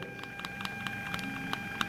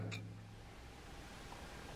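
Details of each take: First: Bluetooth audio module and amplifier board sharing one 12 V supply: steady thin whine with scattered clicks, audible even at minimum volume; power supply interference noise. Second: Bluetooth audio module feeding a 12 V amplifier board, now powered from an isolated 5 V supply: only faint even hiss with a thin quiet whistle; interference reduced about 95%. Clean audio output, interference removed.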